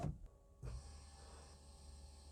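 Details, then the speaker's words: Mercedes S-Class W220 S320 with a stuck front wheel, no ABS fault codes, ABS pump activated via scan tool: click then steady even hum without grinding; normal ABS pump run, pointing to mechanical caliper fault. "So you can probably hear the pump. Now let's turn it off. And if the ABS pump works, it means that it's also activating the valves."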